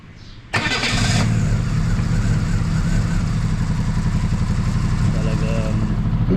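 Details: Chevrolet Spark with a suspected misfire on cylinders 2 and 3: catches and settles into an uneven idle with a lumpy, skipping low beat.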